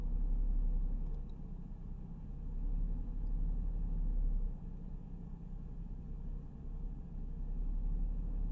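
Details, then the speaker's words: Mercedes SLK 350 R171 petrol with a rough, uneven idle that sags and recovers yet runs fine under throttle. The owner suspects a misfire from the ignition coils or a spark plug; faulty coil is the finding. "okay so i can feel it more than you can see it but the idle is just all over the place it's struggling to keep itself afloat there"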